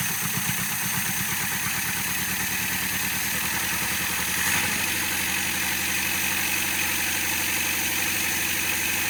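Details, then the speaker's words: Misfire on a 1975 Toyota Corolla KE30 with 1.2 L engine, first start after years abandoned in a shed: rough, lumpy, shaking idle with uneven stumbling beats, running on three cylinders; carburetor was flooding, one plug wet and possibly not firing. "okay well it's running but it still sounds like it's on three or you can tell it's on creatures it's shaking really bad"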